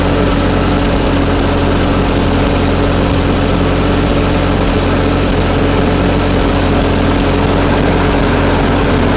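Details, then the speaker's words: Ferguson TO-20 tractor with 12-volt conversion after fitting a new alternator, charging: low, even, steady idle beat with no misses, knocks or hunting, idling better than ever; normal running. "But it's working, charging, and it sounds like it's idling better than ever now with this."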